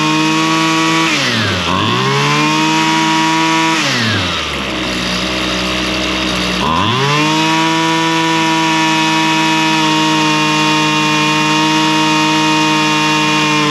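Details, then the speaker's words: Husqvarna straight-shaft string trimmer, two-stroke, after carburetor high and low screw adjustment (likely long unused, diaphragm suspected snug); high buzz drops to idle twice, revs cleanly back up, holds steady high pitch. Normal running. "So, I think I'm going to run it for a little bit more. And I think that's really about all it's going to take. It's It's running pretty good."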